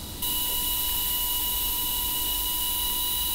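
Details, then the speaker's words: Abarth with about 400 PS, intake system pressurised to about 1.6 bar for a leak test. A constant high whistle with steady tones over rushing air as boost escapes. The earlier leaking sealing face now holds with no bubbles, but a boost leak remains. "man hört leider schon ein bisschen was pfeifen also das Gute ist schon mal die Stelle die vorher undicht war die Dichtfläche hier die ist dicht"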